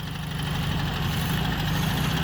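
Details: 1967 Volkswagen Beetle revived after long storage, after valve train correction: lumpy idle with a knock on cylinder 1 and a steady low chuffing pulse back through the carburetor, a leaking intake valve; throttle response much improved.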